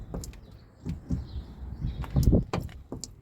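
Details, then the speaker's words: Car with about 140,000 miles, old rusty door check strap refitted after a new cheap one knocked: soft dull thumps and creaks as the door swings through its stops, quieter than the new part, reduced but still present once greased. "Right, I've put back the old one. As you can see, it has a bit of rust here, so I'm gonna get WD-40, spray it here. But actually this one is much quieter than the new one."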